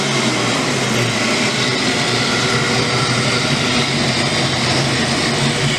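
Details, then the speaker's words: Ford Mustang V8 on its first start after a power-up build, with a big cam and timing set to 30 degrees: loud, even running with no misses or knocks. A little rough and rocking at idle, but it smooths out with gas. "but she's coming along sounds pretty good little bit rough on idle but there is a big Pam in there"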